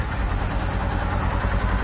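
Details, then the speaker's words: Subaru Forester boxer, high mileage on LPG, first start after months with weak battery: uneven lumpy low idle, shaking on three cylinders; owner suspects burnt valve from LPG, compression test planned. "Πήρε να δουλεύει τρικύλινδρο. Αλλά τουλάχιστον πήρε."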